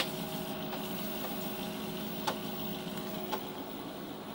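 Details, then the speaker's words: Amiga 500 floppy drive failing to load a game disk, though it worked the previous time: repeated ticking seeks and sharp clacks over a faint motor whir as it retries. Unreliable drive suspected; a replacement drive is on order. "nope okay so that's not working this time it was working the time before"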